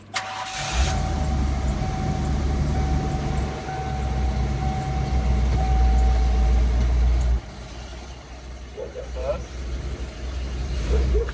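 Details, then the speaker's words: RV started for its first drive after a refill with 17–18 quarts of fluid and shift linkage work; cranks, catches at once and settles into a steady, even idle with a smooth low rumble; starts healthy, and later drives well. "so we're going to turn it on right now is the first time we're gonna drive it and we'll see what happens"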